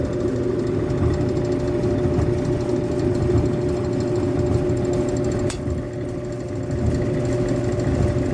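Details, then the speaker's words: Frigidaire Affinity gas dryer that runs but gives no heat, lint-clogged fan: steady drum rumble with a thin whine, one sharp click and no burner whoosh; no ignition. "heard the click right nothing's happening i'm not even seeing um any sort of ignition i don't know if that's supposed to be a hot ignition or a spark ignition"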